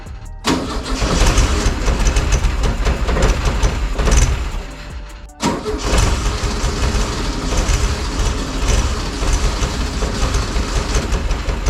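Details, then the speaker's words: VW Beetle engine just rebuilt in a backyard shed, second start attempt: catches and runs loud and lumpy, drops out around five seconds, fires again and chugs unevenly; rough running, cause unknown. "alright so it runs I suppose I'm going to find out what's going on"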